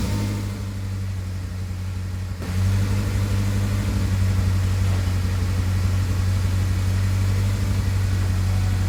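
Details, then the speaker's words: 1996 Ford Ranger 2.3 after fuel pump replacement: low steady drone that steps up in speed partway, slightly uneven hunting idle; owner suspects idle relearning, not confirmed. "the old two three don't sound the happiest right now but hey what do you do hopefully it's just kind of relearning Idol which I assume it is because of the dips and Rises like right there and then it'll dip back down that's fairly common"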